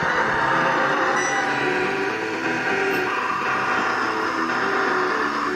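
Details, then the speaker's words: Sega Outrun arcade cabinet after recapping the two-channel audio amplifier and board and reseating chips: loud steady static hiss swamps faint game sound in the background; source of the static still unknown. "Just trying to figure out what is causing all that static."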